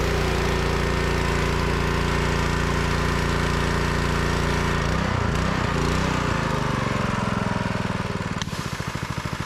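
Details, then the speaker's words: Honda GX200 engine on a DeWalt pressure washer, unrun for a couple of seasons and now fixed: steady, even single-cylinder beat with no misses or surging, settling lower as the pump load changes; runs clean. "but yeah that's why you'll have the throttle up on it but that runs like a champ"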